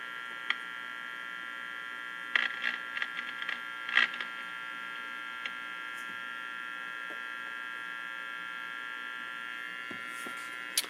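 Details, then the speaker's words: Philco 48-250 tube radio after capacitor replacement, alignment using loop antenna and signal generator on next band: volume all the way up, only steady hum, high tones and faint clicks, no signal received; cause unknown, switching to tuning on faint station. "I'm not getting anything out of here volume's all the way up"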